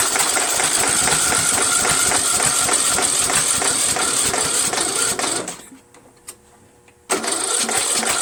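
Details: Troy-Bilt 1842 Super Bronco lawn tractor with repowered engine, on choke with the Nikki-copy carburetor, weak battery on a charger: fast, even starter cranking about five seconds, a pause, then more cranking; never fires. Carburetor swap to a Walbro next; cause unconfirmed.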